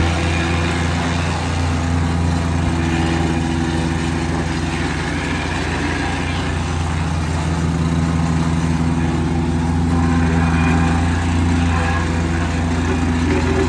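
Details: Wacker plate compactor, small single-cylinder engine, after repair (new switch, oil topped up, spark restored) following a no-start fault; steady fast chug, even firing, no knocks or misfires; running fine.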